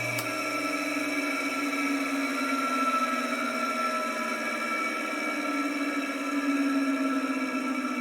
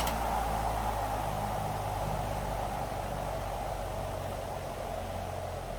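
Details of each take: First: Vintage ILGJET 24-inch type Q air circulator fan motor, run with the blade removed on its original dry 203PP (6203) bearings before replacement. A steady hum carries a dry, rough, gritty whine. Worn, dry motor bearings, also audible at switch-off. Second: Vintage ILGJET 24-inch type Q air circulator fan after replacing 6203 bearings, on high then low: soft steady air whoosh, faint low hum, slight even flutter; runs smooth and quiet, blade slightly out of balance.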